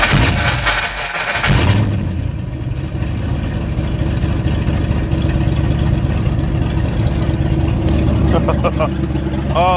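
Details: 1989 Mustang GT, first start after sitting over 10 years with fresh oil and fuel flowing through the rail: short crank, then it catches and settles into a steady, even rumble with no misses; starts and idles normally.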